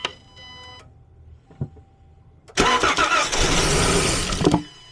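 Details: 2013 Chrysler Town & Country crank-no-start, cranked with compression gauge fitted (about 90 PSI, slightly low): starter spins the engine at an even rhythm about two seconds and it never fires.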